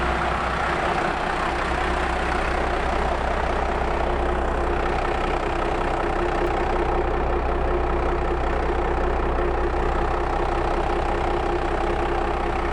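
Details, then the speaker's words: Upgraded 280,000-mile 12-valve P-pump Cummins in a 2nd-gen Dodge (PDD 400HP kit, K27 turbo, 17.5° timing), just fired up after grid heaters and warming up at idle: steady, even diesel clatter with deep constant rumble, no knocks or misses, normal idle. "So I'm not sure if you can hear me over the engine, but we're going to let it run for about 5 or 10 minutes, warm up a little, keep an eye on it for leaks."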